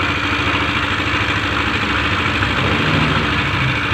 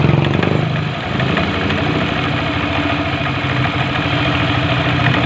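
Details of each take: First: Yamaha NMAX scooter idling with a rough, jingling rattle over an uneven beat. The noise seems to come from inside the engine, not only the CVT block, and the mechanic suspects the one-way clutch or its seat. Worn CVT parts suspected. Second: Yamaha NMAX scooter after a rough, grinding engine noise was repaired in the belt drive area: steady, even idle with a smooth low putter and no rattle or knock; sounds healthy after the fix.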